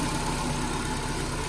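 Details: Nissan Grand Livina idling after replacing the AC pulley set, damaged when flood water reached mid-wheel and wore out its bearing; now smooth, steady idle with no grinding from the belt end.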